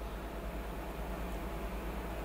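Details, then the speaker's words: Cooler Master ML240L AIO pump powered up about five minutes after being frozen solid in a freezer. Steady low hum with a soft even whir and no rattle, gurgle or grinding; the pump is running normally. "i don't know if you can hear that but that is the pump running"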